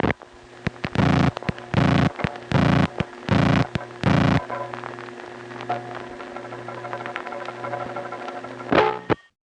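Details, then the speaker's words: 1976-1981 crossbar No. 1 office tape, 7-digit call dialed with a speed-up dial from a Belle Harbor, Queens home phone: the register sender's MF tones are inaudible, only loud buzzing then sharp metallic relay clanging heard via rack vibration; normal operation. "requires the register sender to send multifrequency tones seven digits which means nine little beeps there but you don't hear the tones you just hear the clanging of the relays"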